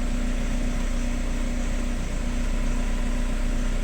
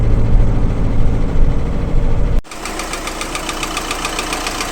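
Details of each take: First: VW Crafter 2012, 2.0 BiTDI twin-turbo diesel, about 270,000 km, complaint of knocking and power loss, weak battery cranking slowly: starts and idles evenly with a smooth low rumble and no audible knock; normal idle. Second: 2012 VW Crafter 2.0 BiTDI twin-turbo diesel idling: a sharp regular ticking knock, with power loss and limp mode, from combustion gas leaking past two injectors. An injector bolt was found loosened a few turns.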